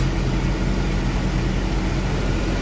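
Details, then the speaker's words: BMW E46 petrol engine after idle air control valve repair for cold-start rough idle (rpm had surged up and down); now a low, even idle hum with no rise and fall in speed. "starting the engine RPM is no longer going up and down in shalow no more idling problem"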